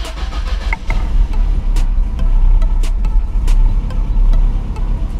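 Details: 1989 Lotus Esprit started after reinstalling the dash binnacle and speedometer: engine fires promptly and settles into an even running rumble with no knocks or stumbles; clean healthy start.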